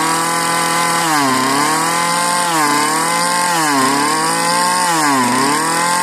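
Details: Marketplace Homelite-type string trimmer, bottle-fed 2-cycle fuel; sticky throttle cable, and dirt blew out of the muffler on starting. The buzzy pitch sags and climbs about every 1.3 seconds, hunting; the owner says it almost sounds hopped up. Cause unclear.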